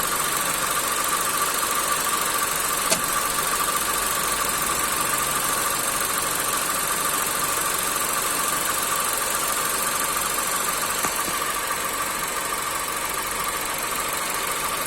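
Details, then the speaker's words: 2014 Audi Golf with DSG gearbox idling: occasional sharp single knocks from the clutch/flywheel area, intermittent; owner suspects a broken dual-mass flywheel. "E aí esse barulho com o carro funcionando eu vou funcionar o carro aqui para vocês verem o o irmão carro tá funcionando certo e aí ele fica dando aí para o barulho não sistema de embreagem E aí E aí é intermitente que ela aqui não dá"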